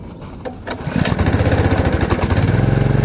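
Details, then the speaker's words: Pressure washer, cold start with the choke at half: the engine catches after a few pulls and runs with an uneven, loping pulse of about four beats a second. Owner suspects too much choke. "Maybe got too much choke on now. Sound like too much choke."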